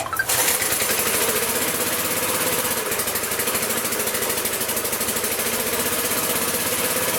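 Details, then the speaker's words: Magna air compressor with circa-1983 Briggs and Stratton engine, sat 5 years: small single-cylinder pops and stumbles with raspy uneven beat as choke comes off and mixture is adjusted; leaning it out ran better, then it died. "all right too much or too little fuel there started leaning it out and started running way better and then kind of shut it off or killed it there"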